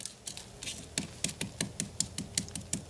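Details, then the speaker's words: Tapping a POR-15 rust-encapsulator-coated vehicle frame gives a dull, papery, hollow rattle instead of a solid ring. Moisture trapped behind the coating has rotted the frame, and scraping reveals big flakes of rust. "That's not solid like solid. You can hear that. It's all hollow behind that."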